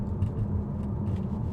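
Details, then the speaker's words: Rebuilt wrecked Audi RS7 on a road test at about 45-50 mph: smooth, low, even road rumble at steady cruise with no knocks, whines or grinding; no noises or overheating, sounds healthy. "looks perfect so I'm super excited to tell you guys that everything is perfect there was no noise no funny noises anything like no overheating or anything"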